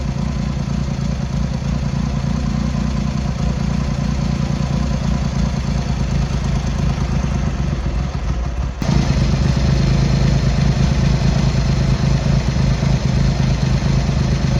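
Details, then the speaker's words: Triumph Hurricane X75 triple with rebuilt carbs reinstalled, pilot screws richened and left carb reset, still warming up; low fairly even idle picking up slightly, no clatter or misfire, running a touch rich. "Getting there. That's better. So we're getting there."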